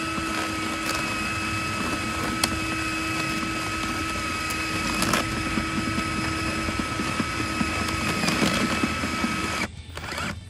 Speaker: as you can see it must be actually coiling up inside because the reel is moving you can hear that clicking noise give you a closer look the reel is moving but the actual tape isn't so it's obviously stuck on that other end and it's coiling up inside which isn't good